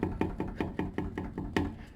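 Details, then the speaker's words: Suzuki Bandit on test ride after brake pad and clutch work: hollow metal knocks about five a second over bumps from the fuel tank, shifting because its top rubber mount is perished. "The rattling from the thingy's gone, but there is a bit of a rattle here from the tank. It's when you go over a bump."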